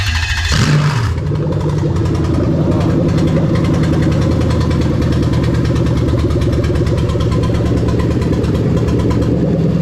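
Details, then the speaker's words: Lexus LS430 3UZ-FE VVT-i V8 with a new engine harness (manual, left-hand drive): a rough, stumbling catch on start-up settles into a steady idle; the misfire is from injector connectors not clipped in, just resting on. "Obviously the beginning when it misfired, you can see I've not clipped all of the injectors in. They're just resting on there."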